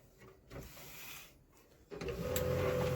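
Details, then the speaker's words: Canon LBP 2900 laser printer after replacing a damaged clutch gear (its spring had jammed) on the side gear panel: quiet start, then a smooth, even gear whir that holds steady with no clicking or grinding; normal printer drive operation. "अभी देखो घम रहा drive गर वगर सब बढ़िया"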